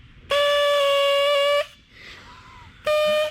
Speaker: There's no spray, it just makes a weird noise. Okay. Okay, I wasn't expecting that noise, like a clown.